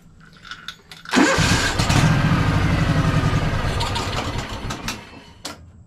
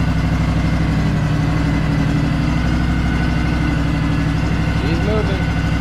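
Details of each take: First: Free Craftsman DLT3000 lawn tractor with stale, water-contaminated fuel: small engine cranks with steady labored churn for several seconds without firing just after draining the carburetor bowl, which must refill; cranking no-start. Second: Craftsman DLT3000 lawn tractor with factory Honda 16.5 hp engine, free no-start machine, started on choke: even, steady, quiet idle with no misses, knocks or hunting; normal idle, may still need carb cleaning.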